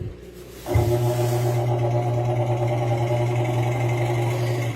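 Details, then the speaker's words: Washing machine after repair of a knock (unbalance) sensor fault and preventive maintenance, cleaned; slow spin cycle with a steady even low hum, no knocking, scraping or wobble; running normally. "Centrifugado muy lento. Es perfecto. Ya el equipo nos quedó funcionando. Perfectas condiciones."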